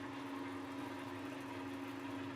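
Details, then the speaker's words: Lathe drilling with a 5/8 inch twist drill after a pilot hole, for a 7¼ inch gauge locomotive part: steady, fairly high spindle hum, speed too fast so the drill grabs. "And you can hear by the sound of it, the lathe is going too fast, and in no time at all it grabs the"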